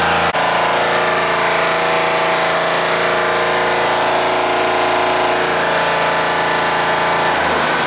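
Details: Deutz 3-cylinder diesel, previously hard-starting early mornings, idling after a gravity-fed fuel tank modification: steady even clatter with no misses or hunting; normal diesel idle.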